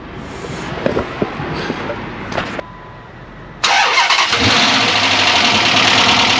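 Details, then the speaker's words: Unbolted tailpipes hanging on rubber hangers knock with a light metallic rattle over a busy idle on a 2006 Dodge Magnum at first start after a 722.6 NAG1 transmission rebuild (valve body, shift kit), cold, fluid about a quart low; harmless tailpipe rattle. "and if you heard that rattling like I did don't freak out like I did it's just the tail [Music] pipes cuz they're not those they're not bolted up on the back"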